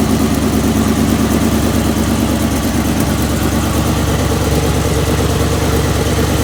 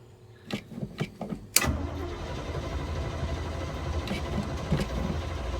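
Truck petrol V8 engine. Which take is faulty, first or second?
second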